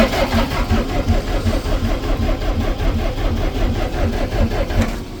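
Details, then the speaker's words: DAF LF45 bus diesel, -6°C, warmed only slightly: starter churns steadily at about two and a half beats per second for several seconds without firing; owner suspects the cold, hoping warming will fix it. "Still not going. No, it's warmed up a tad."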